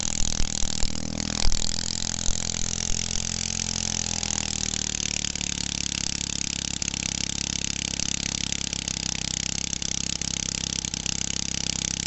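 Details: 1969 single-cylinder stationary engine of roughly half to two horsepower, revived after sitting for ages, running indoors in a kitchen: a steady, even putter with no stumbles or knocks, running smoothly and sounding healthy.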